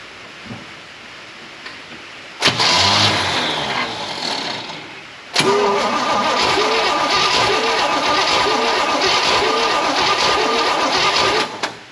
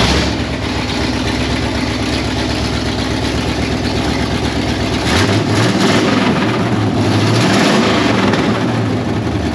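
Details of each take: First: 1968 Pontiac Firebird parked 30+ years, cranking with a fuel jug feeding the carb and the accelerator pump primed: steady starter churning at about two beats a second, no firing; cranks but won't start, weak spark suspected. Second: 1968 Pontiac Firebird parked 30+ years: steady, even idle with a smooth low rumble, no misfires or knocks; idling healthily.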